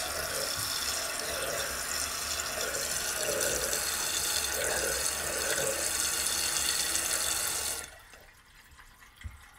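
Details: Toto toilet after rebuild with new flapper and fill valve (ball cock), old valve had made loud weird noises: even, smooth hiss of refilling about eight seconds, then clean shut-off with no squeal; normal tank refill.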